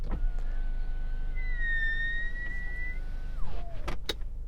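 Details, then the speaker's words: Genesis GV70 SUV power window: quiet motor hum with a thin high squeal rising as the glass travels, occurring only when the window is wet; unsure if specific to this car. "While the electric window motors in this car are very quiet, if the window is wet, you get this strange noise."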